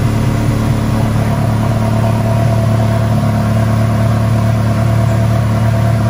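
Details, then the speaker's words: Ferrari 360 Challenge Stradale Spider V8, first fire-up after rebuild with new plenum gaskets and water leaks fixed: steady deep running at slightly raised speed, smooth low drone, no knocks or misses; runs healthy. "well guys there you go another massive milestone in the stradali spider project it's running and it sounded absolutely epic"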